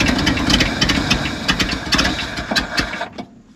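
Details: Abandoned 1970 Ford F600 U-Haul truck that sat about 30 years, getting gas with butterfly held down: uneven churning, three to four rough pulses a second, never catches, then cuts out; cranks, no start. Starter solenoid then found smoking.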